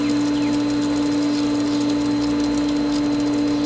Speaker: now if you also notice from what the pump sounded like before I even started this to what it sounds like now it's a lot happier because it has more water getting through it